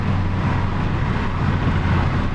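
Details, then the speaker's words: 1990 VW Corrado G60, stock boost control system, on a boost test drive at about 6 psi by 3,000 rpm; steady deep engine drone under load, smooth with no knocks or rattles; normal supercharged engine under boost. "we are into about 6 psi by 3,000 RPM. That sounds about right."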